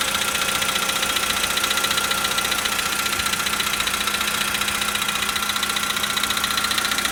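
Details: 2013 VW Polo Sedan Sochi Edition, 65,000 km, just after a cold start at idle: a sharp, even knock about four times a second over a steady hum, from inside the engine; cause unclear.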